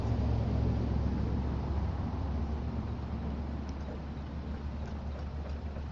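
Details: 1985 Monte Carlo SS V8, cold start, car sat 14 years and burns oil (valve stem seals): low rumble that slowly drops and wavers at cold idle because the electric choke is broken and can't hold fast idle.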